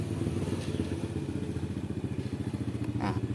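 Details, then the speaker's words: Used refrigerator compressor converted to an electric tire pump with a capacitor, about 80 watts, inflating a tubeless tire: even low thrumming pulse about three to four beats a second, no clatter; runs very smoothly, quieter than a workshop compressor. "Suaranya sangat halus, bukan? Tidak seperti kompresor bengkel pada umumnya."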